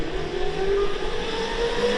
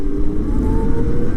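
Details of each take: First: CyberX e-bike with stock chain drive, heard in a flyby pass: a loud rasping chain whir that rises and falls with speed, loud enough that the rider thought something was wrong; the noise comes from the front sprocket. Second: CyberX e-bike after a belt drive conversion, recorded while riding: a low road hum with a faint motor whine climbing in pitch and no chain clatter. The belt drive runs smooth and quiet.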